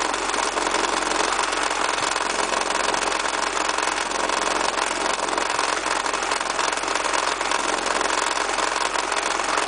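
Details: Honda H22A8 engine at idle with a rapid, somewhat uneven knock from the engine block that appeared after driving. The failed timing belt auto tensioner was the cause; the fix was converting to the fixed H23 tensioner system.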